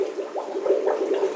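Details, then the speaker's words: Fluval 406 canister filter on a 90-gallon discus tank, restarted after cleaning and a water change: irregular watery pops and gurgles as trapped air burps out while it refills. Normal air purging, expected to settle. "see that all those bubbles coming out yeah that's the filter filling up with water"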